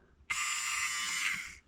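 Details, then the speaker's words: Mini Cooper F55 old EGR valve motor bench-powered directly, possibly at too high a voltage (12 V): short high-pitched whir with a slightly uneven, grating edge; sounds rough. "doesn't sound too clever just sound a little rough"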